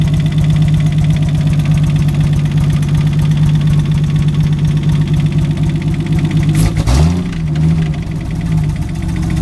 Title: Rb25det Rod knock